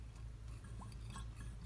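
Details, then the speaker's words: Porsche 924S AC compressor turned by hand off the car: soft liquid gurgling and faint clinks over a low hum, showing it is pumping normally. The clutch should click when powered and spins freely until engaged. "And the other thing you wanna do, if you spin this, you can kinda hear it gurgling."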